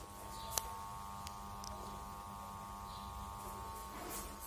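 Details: Old Crompton Greaves side fan switched on: faint steady electrical hum with no blade rotation, the motor stalled by a failed capacitor that gets replaced.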